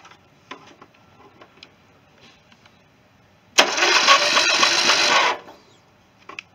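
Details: 16.5 hp Briggs & Stratton engine swapped into a John Deere mower, starter jumped directly after the battery read low; a steady whirring crank for under two seconds with no firing pulses. It turns over but won't catch, and the owner next tries gravity-fed fuel.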